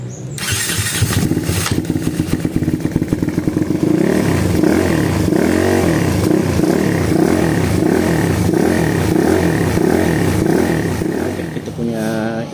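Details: Piaggio/Aveta/WMoto ES250i single-cylinder scooter just after overhaul, upsized to 301cc with a 63 mm stroke crankshaft: fires and runs on its own with uneven rev swings; it runs but needs fuel setting adjusted for the bigger engine.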